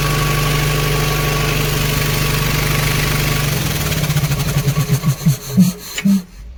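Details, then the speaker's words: Cement bulker diesel after the starter motor's internal connection was resoldered and refitted: a firm, even idle pulses steadily for about three seconds, then slows through a few heavy thumps to a stop; the engine runs properly. "इंशाल्लाह सही हो गया।"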